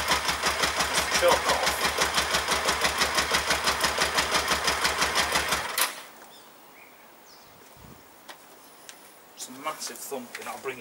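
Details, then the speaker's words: Kawasaki ER-5 twin, radiator cap off and fuel tank removed: heavy regular thumps about three per second after start-up, loud in the bottom end, then cut off. Intermittently firing on one cylinder suspected, not confirmed. "I'll bring you in closer. This sounds a bit loud in the bowels. So it's intermittently firing on one cylinder."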